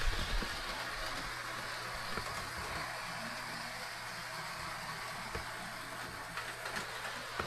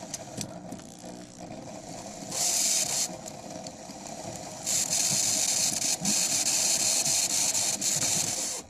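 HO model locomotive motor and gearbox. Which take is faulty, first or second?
second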